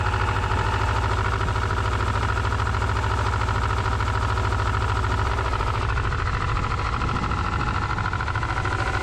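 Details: Subaru Legacy petrol engine idling with a steady, fairly regular knock under low rumble; knock heard inside the car while driving and got bad.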